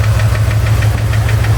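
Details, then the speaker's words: Chevy ZZ4 350 V8 idling after valve lash adjustment; sharp, even knock or tick about seven a second, seeming to come from the driver's side; owner unsure if piston slap or a spun bearing. "I'm just wondering, do I have piston slap or have I spun a bearing? I just did valve lash adjustment and I still have this knocking sound or ticking sound. Seems to come from the driver's side."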